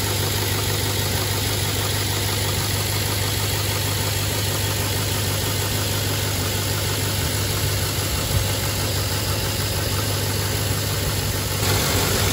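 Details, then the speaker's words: Chevy Trailblazer 5.3L V8 after valve cover gasket replacement: steady even idle, constant low hum, no knocks or misses; running smoothly. "I'm going to put the air intake back on, and we'll go ahead and fire it up."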